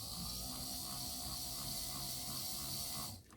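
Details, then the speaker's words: Proto2K GP7 locomotive drive unit after replacing all four broken axle gears: steady high motor hum with soft regular gear pulse, smooth and even until it winds down; running normally. "All 4 of the gears ended up being broken, so it seems to be okay now."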